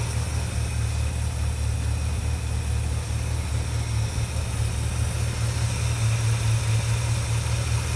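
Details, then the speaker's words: 1967 Dodge Charger 383 V8, off the road 15 years, after replacing a leaking carb base plate: deep, steady idle with even low rumble and no miss, knock or tick; running clean. "The motor's purring like a kitten. We're going to take it out for its first maiden voyage in 15 years."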